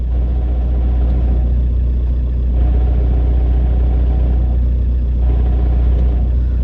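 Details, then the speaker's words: SEAT Ibiza 1.9 TDI diesel after installing a six-paddle clutch (a dual-mass-flywheel disc) on a solid flywheel: idle rumble with recurring coarse rattling judder as the clutch is lifted and takes up; clutch chatter on engagement, blamed on the solid flywheel setup. "Um, so that's one of the biggest like cons of a solid flywheel and a six paddle clutch. You get really bad clutch chatter."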